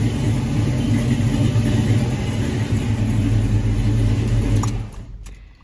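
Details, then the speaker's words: 1984 Chevy K10 V8 with mild cam and newly fitted Holley Sniper fuel injection, learning mode: deep, even rumble settling into a smooth idle with no misses; slight lope remains, less than with the carburetor. "so it's running wizard comes on see fires right back up"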